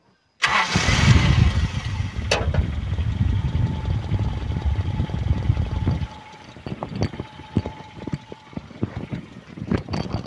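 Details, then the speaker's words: 1995 Toyota Kijang Grand Extra 1.8 KF52: brief crank, quick catch and short rev, then a soft, even idle with no knocks, ticks or odd noises; healthy old engine. "Kalau menurut saya ya inilah Kijang halusnya seperti ini mobilnya nya tua tapi ini benar-benar halus enggak ada suara-suara yang aneh"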